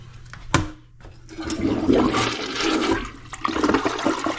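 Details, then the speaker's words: Newly installed replacement toilet, first flush after raising the fill level so it stops below the overflow; strong rushing gurgle rises, peaks and tapers off as the bowl clears; normal flush. "All right, nice flush, first flush."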